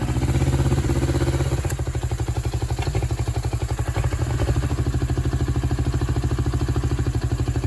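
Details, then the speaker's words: 1996 Suzuki GS500 twin, carbureted: low, lumpy idle with uneven beats about three per second, hunting slightly; the petcock vacuum port on the second carb was open instead of blocked, leaking air. "Figured it out. Um, this is the vacuum for the petcock. And usually the the vacuum on the other carb is blocked off, but this one apparently isn't."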